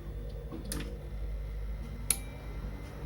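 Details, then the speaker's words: Amplifier speaker protector after replacing shorted final transistor, previously stuck in protection with blinking LED: quiet low hum, then a single sharp click about two seconds in as the protection relay pulls in normally. "Oh, ternyata memang benar itu berasal dari transistor terakhir yang mengalami korsleting sebelumnya. Karena setelah mengganti transistor, langsung berfungsi dengan baik."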